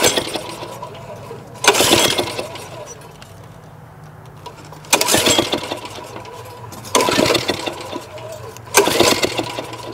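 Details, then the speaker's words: 2001 Briggs & Stratton OHV 5 hp chain-drive rototiller, choke on, pull-started: four attempts each give a short rough burst of popping backfires out the exhaust, never catching; no compression, owner suspects misadjusted valves. "when you pull it all it does is pops the backfires out of the tail pipe and it has no compression"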